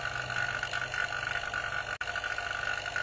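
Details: Half-HP vacuum pump evacuating a one-door refrigerator with the valve fully open, smoke from the exhaust as air is drawn out: steady rattly drone with a constant mid-pitched whine, no pitch change; pulling vacuum normally.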